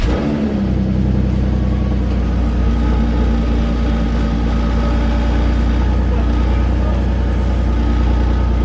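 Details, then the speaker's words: 2006 Porsche Cayenne 3.2 V6 non-turbo petrol, about 103,000 miles, camera under the bonnet and at the rear: steady, even low rumble settling after cold start, no stumble or miss; healthy cold idle. "so what I'm going to do is we'll fire it up now have a bit of a cold start we'll turn the car around and we'll have a quick look around it"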